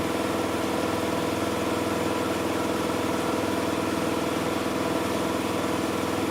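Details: Miele Softtronic W6544 washing machine, drum loose and noisy (bearing damage questioned): steady uneven knocking about two per second following drum rotation; cracked drum spider (Trommelkreuz) lets the drum wobble.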